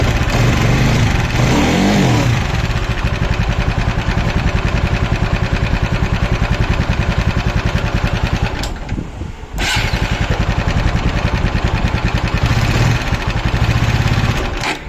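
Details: TVS Apache 200cc at idle and revving with new piston, old rocker: rapid rattly ticking that quickens with each rev; abnormal top-end engine noise, cause unknown.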